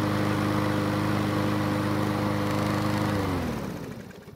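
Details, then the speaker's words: Yard Machines mower single-cylinder engine runs steadily, then speed sags and dies; owner suspects a remaining carb blockage restricting fuel flow at startup until vacuum overcomes it, only a guess; a slow fuel leak was later found. "instead I think there's still some sort of a blockage in the carb that's keeping the fuel flow from being where it needs to be at startup this is then keeping the engine speed slow until there's enough vacuum to help overcome the blockage"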